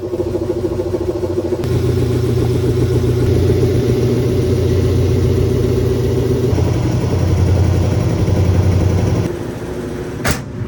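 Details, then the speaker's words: GE stackable washer, towel and rug rebalanced: steady low hum builds as the drum kicks into high-speed spin, even and free of thumping; normal high-speed spin. "So it's handling it a little bit better now that I kind of balanced the towel and the rug out. It's kicking into high speed now."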